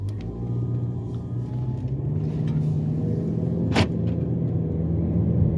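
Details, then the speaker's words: Jeep Patriot FWD on a test drive: a low steady drone under road noise swelling with speed, a bad rear wheel bearing with no play, to be replaced. "so hopefully you guys heard that wheel bearing I checked it when it was here last time and it's not lose the the wheel bearing doesn't have any play or anything like that it's just making a noise"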